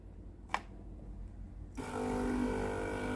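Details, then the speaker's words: Philips PSG 7014 steam iron after control board replacement: click then steady even low hum of the water pump; runs normally and unit ready. "un zgomot de funcționare a pompei de apă. Aparatul este gata de utilizare."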